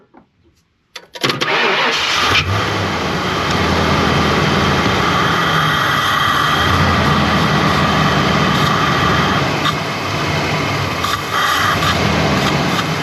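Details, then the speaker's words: 1992 Ford Mustang LX 5.0 V8, parked for years, started on brake clean sprayed into the intake: cranks, catches after about a second, then a quiet, even idle with no ticking or knocking; fires right up, normal running; fuel pump still needed, injectors probably need checking. "So quiet this motor is. But there we have it. This thing actually fires right up."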